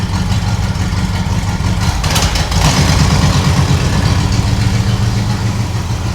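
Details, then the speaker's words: 1976 Chevrolet K20 3/4-ton 4x4 truck, V8 idling outside to burn off deposits, not fully warm; very smooth, even idle, steady enough to balance water on the intake manifold. Carb not yet vacuum-gauge tuned. "Well, it's definitely better because you could set a glass of water on top of that intake manifold and it wouldn't spill. That thing is so smooth."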